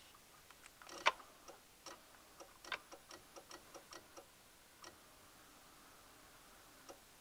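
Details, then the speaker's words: Chevy/GMC truck with reduced engine power and fuel pump cutting out over bumps, key on: wiggling a small black ground wire from the harness on the passenger side of the intake sets off a burst of sharp, uneven clicks, fuel pump relay and possibly other relays chattering; intermittent ground. "the clicking sound is the fuel pump relay actually maybe a couple relays in the in the relay box there"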